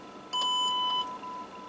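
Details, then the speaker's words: Standard Radio C-55D transceiver being fixed for no receive/no audio: a clean steady tone over quiet hiss, with 0.74 V at the output, showing the audio amplifier is fully functional. "yeah 0.74 of a void and that is telling us that our audio amplifier is fully functional here in our radio"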